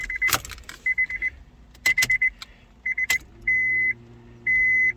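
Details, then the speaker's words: 2004 Honda Civic DX after in-tank fuel pump replacement, key on: the key-on chimes ring, then a faint steady low hum starts and holds; the new fuel pump primes normally. "well i hear the pump running all right"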